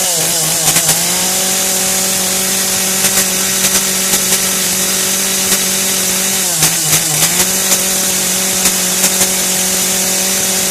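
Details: Kretec UDT two-stroke chainsaw on 25:1 petrol-oil mix, just started: steady high buzz holds even between quick throttle blips that pick up cleanly; running smoothly.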